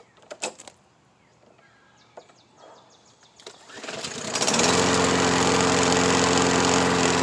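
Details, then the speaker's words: MTD push mower repowered with matching overhead-valve engine, cutting grass after repair: small engine picks up to a steady even drone, running well under load; only remaining issue an oil leak. "as you can see it mows"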